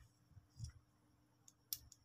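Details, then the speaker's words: Second motorcycle starter relay (Supra 125/Vario) bench-tested with battery power: several sharp, light clicks a fraction of a second apart, but it won't pass battery voltage to the starter motor, contact plate possibly stuck or burnt; relay clicks without engaging. "ini terdengar detik-detik tapi tidak tidak bisa meneruskan tegangan yang dari aki tidak bisa meneruskan yang tegangan dari aku ini menuju ke dinamo starter"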